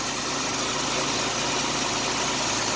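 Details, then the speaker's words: 1989 Chevrolet Celebrity 2.8 V6, 3-speed automatic, 173,000 miles, crankcase vacuum leak capped off (owner suspects lower intake gaskets): even, steady engine roar revving with no stumble or popping; pulls clean, no misfire. "This is the first one I've ever had that's had a vacuum leak like that. And it runs fine."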